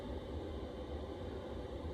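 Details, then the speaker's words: Chinese diesel heater in a Ford Transit Custom camper, installed six years ago with a separate fuel tank, thermostat set to 8 degrees: steady low even hum with a soft airy rush, no surging; dropping into idle mode. "So you can hear it going quiet now, can't you? It's going into idle mode."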